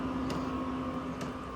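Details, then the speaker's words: Chinese 12 V diesel heater for vans and motorhomes, used as a workshop heater, switched off via control panel: steady low fan hum, no combustion roar, running its 3–4 minute shutdown cycle to cool and clean itself; normal. "It does a shutdown cycle. Don't know if you can hear it, but it goes into a shutdown cycle, cools itself down, cleans itself out, and it keeps running for about 3 or 4 minutes."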